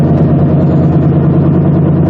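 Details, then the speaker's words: 1995 Honda Civic driving on pavement: steady deep droning growl growing louder as speed increases, from a bad front wheel bearing, suspected passenger side; driving on gravel, which makes no noise itself, rules out tires. "You might hear that noise coming up. It will get progressively louder as my speed increases."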